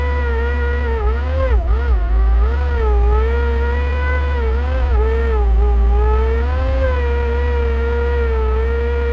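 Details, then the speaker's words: Bucket truck with new oil, no pony motor, hydraulics driven by PTO off the main engine: steady mid-pitched pump whine over diesel rumble, dipping as the boom moves. Normal PTO hydraulic operation. "that noise you're hearing is the PTO this does not have a pony motor on it so the Hydraulics run off the main engine"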